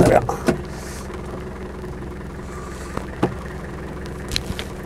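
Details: Land Rover 110 turbo diesel County station wagon, almost 170,000 miles, warm: quiet, even diesel idle with door and handling clunks, not stalling or overheating; engine sounds healthy, though oil is burning off the top of the engine.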